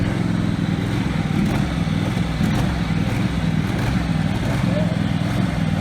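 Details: Husqvarna 48 GLS lawn tractor, formerly racing, now governed only by the high-speed spring with the idle screw setting minimum speed. Even single-cylinder drone holding one speed without hunting or surging, though the wrong spring caused surging at other times.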